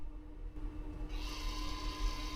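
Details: Dry fertilizer spreader, machine not running, belt-control valve actuator commanded from the test page after rewiring: a faint, steady small-motor whine starts on command and runs evenly; the valve actuator is driving properly, confirming the suspected fault.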